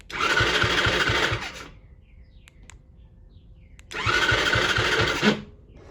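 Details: 50cc kid's quad bought sight unseen, cranked with its remote start: two bursts of starter cranking with a steady chuffing rhythm, never catching. The owner suspects the start switch is unhooked or miswired; spark not yet checked.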